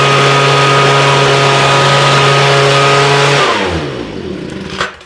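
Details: Homelite two-stroke leaf blower with new fuel lines and redone carburetor, seemingly running rich; holds a steady high buzz, then loses speed and winds down to a stall with a last sputter; runs, dies, stumbles intermittently, cause unknown.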